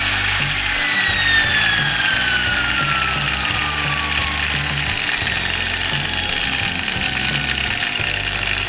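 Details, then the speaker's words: Angle grinder (non-induction motor) on a dimmer speed controller, low to high speed: high whine sliding smoothly in pitch, no grinding; normal speed variation under dimmer control. "Nah, perbedaannya adalah ketika dicoba di mesin gerinda atau bukan motor induksi seperti ini sobat, bisa kita kontrol speed mulai dari low speed ke high speed."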